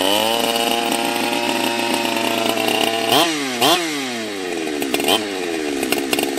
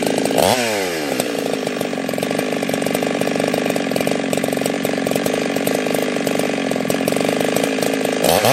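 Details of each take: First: Husqvarna 365 Special 52mm build on about its 3.5th heat cycle: high-revving two-stroke whose pitch sags and surges with each throttle blip and never settles, unstable running with the carb still out of tune. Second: Husqvarna 365 Special chainsaw, 52mm build, carb changed, around the third heat cycle, carb tuning still giving some issues: high steady crisp scream holding pitch through the cut with no bogging; strong healthy running.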